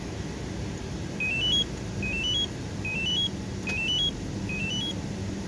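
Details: 2014 Toyota Tacoma with newly installed Compustar 7900AS alarm/remote start, running on remote start: repeated rising three-step chirps about once a second over low idle rumble; alarm locking and arming normally.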